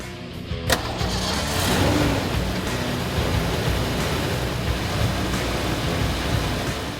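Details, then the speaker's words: 1979-1993 Ford Mustang 5.0 V8, start and idle after installing a heavy-duty clutch fan upgrade: starter catches, steady even run with a faint fan whine, which is normal for the heavy-duty clutch fan. Normal start and idle. "You might hear an additional whine from the clutch fan. That's perfectly normal, being that it's a heavy-duty part."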